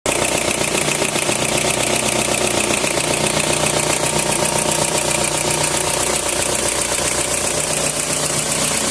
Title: @ 2003 Toyota RAV4 hissing and rattling noise